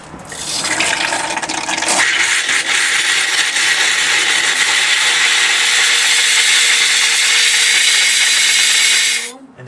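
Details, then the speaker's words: Escape 19 ft display-model trailer, toilet handle opened slowly during water-line blowout: strong, steady rush of air with sputtering water for several seconds, then cut off as the airline and toilet valve blow clear of water. "We've got all the water out of the airline and the toilet valve."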